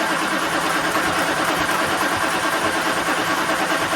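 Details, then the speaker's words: 1965 Plymouth Satellite V8 just fitted with an Edelbrock AVS2 800 cfm carb replacing a 1407 750 cfm, air cleaner off, no choke, backfired at start: loud rushing hiss over uneven pulsing idle, possible vacuum leak; no fuel leaks. "i don't know the carbs making that much noise just because i got the air cleaner off or what"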